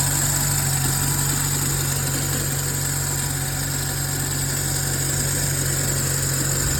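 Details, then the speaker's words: Nissan Tiida with LPG system, cold start after long standing: needs 4–5 seconds cranking, then low, uneven, shaky idle that chokes slightly; warm restarts quick; compression and plugs fine, LPG system suspected. "Після тривалого простою автомобіль запускався дуже погано. Потрібно було покрутити стартером приблизно 4-5 секунд і тоді двигун як-неяк запускався, його трусило, він так захльобувався трошки, працював нестабільно."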